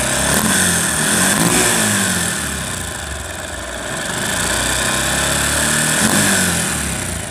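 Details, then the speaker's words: Very old Bajaj Pulsar engine idling before repair: fast steady ticking rattle, about four per second, rising with revs, from worn rocker arm washers and slack timing chain; piston rings still fine, no oil loss; three separate noises noted. "তো বিষয়টা হলো যেটা, এই বাইকটা আসলে অনেক পুরাতন, তো এই বাইকটার ইঞ্জিনের সাউন্ড খারাপ।"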